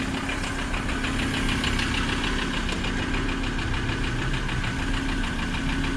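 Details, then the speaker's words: Six-speed automatic vehicle at auction with clean oil and full coolant, just fired up; quick light fairly steady knock about three times a second at idle; rod knock. "fired up hello flag oh oh dear she's a rod knocker she's a bit Taffy"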